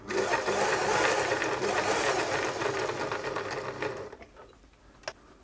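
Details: German-made Singer 631G/611G sewing machine after a full service and foot controller repair, sewing in reverse: an even, rapid stitch rhythm of three to four per second that runs smoothly before stopping.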